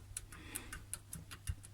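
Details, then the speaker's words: MTZ-80 tractor at idle, cover open on the front-drive reduction gear in the intermediate housing: low hum with sharp light ticks about five a second; the gear wobbles at idle and rattles, but turns smoothly at high steady rpm. "И я понял, что этот дребезжащий звук исходит именно оттуда. Итак, когда я снял крышку рычага, я осмотрел его, и когда обороты высокие и стабильные, он вращается плавно, но на холостом ходу, ну, он просто работает, скорости нет, и шестерня начинает шататься, вот откуда берется дребезжание."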